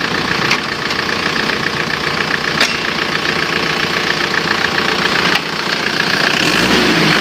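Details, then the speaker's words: Isuzu Panther diesel after engine overhaul for white smoke, reused liners: settles into even steady idle, no knocks or misses, clean regular beat; sounds healthy, exhaust smoke seems cleaner. "suaranya suaranya ya bagus ya asapnya kalau menurut perasaan saya Justru malah lebih bersih"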